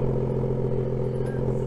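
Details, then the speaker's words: BMW M2 (N55) M-Performance exhaust at cold-start idle with the exhaust tips removed: a deep, steady rumble with no metallic buzz or rattle. This shows the tips caused the cold-start vibration noise. "right so as you've heard no metallic vibration noise was presence meaning that the tips must cause this noise"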